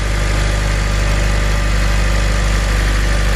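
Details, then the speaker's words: 2007 Honda Civic Si after replacing belt tensioner, serpentine belt and idler pulley: steady even low idle, smooth regular beat, no squeal, chirp or ticking from belt drive; previous noise gone, normal idle. "sounds like sweet sweet success to me everything seems to be running good"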